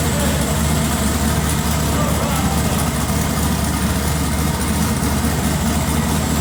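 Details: Twin-turbo LS-swapped first-gen Camaro on its first drive after a tune fix, with the loose throttle body, MAT sensor and coolant sensor corrected: a steady, even low rumble with no misses, knocks or surges; the V8 idles smoothly and sounds healthy.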